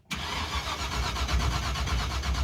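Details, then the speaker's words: Engine fitted with a fire-truck coil and a borrowed ignition box whose light blinks: steady starter churn at about four pulses a second with no firing; no spark, the rotor checked fine, and the distributor pickup is suspected. "It's blinking. That's weird, dude. That's got no spark."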